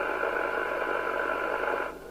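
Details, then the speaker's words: Midland 77-095 UK FM CB radio receiver at the sensitive-threshold test with no signal and volume off. A loud, steady rushing hiss stops abruptly after two seconds. This racket is put down to the cheap design; not confirmed. "but can you hear the racket I've got no volume on but there's a real Racket and this is what you get with these"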